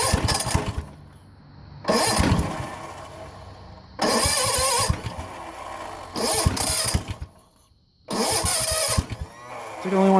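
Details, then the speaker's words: 1970 Sears Suburban tractor, 16hp OHV Tecumseh, after a no-spark magnet repair: repeated cranking bursts with only a catch or two before dying; spark and fuel confirmed, throttle held closed because the throttle cable isn't held in. "to fire like once or twice yeah weird"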